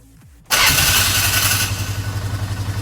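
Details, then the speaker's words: 2012 Polaris Sportsman 500 H.O. ATV after oil and filter change, with fuel treatment run through the carburetor: engine catches and runs with a harsh raspy hiss over the idle thump; owner suspects the starter is staying engaged, possibly linked to earlier flywheel issues. "boy that starter don't sound right that starter sounds like it's staying"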